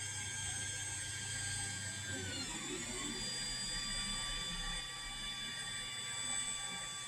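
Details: Ender 3 3D printer X axis: motors whine steadily while a brief high squeak slides downward in 3 spots as the carriage travels right; silent travelling left; filament also extrudes slightly squiggly along X.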